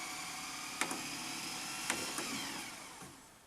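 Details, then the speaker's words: Repaired Panasonic NV-SV121 S-VHS deck, reassembled: after seeming to seize on the first rewind attempt, a quiet high whir of fast spooling with a few light clicks, tapering off; rewinding normally now. "It seemed to seize up when I first tried to rewind, but it seems happy now."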